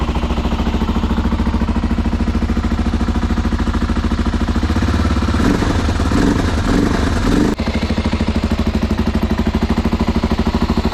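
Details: BMW F650 (Rotax 652cc single) running after its carburettor was rebuilt and refitted; slow uneven thump stumbling midway, then a lumpy beat; owner says it runs extremely rich, air screw setting uncertain.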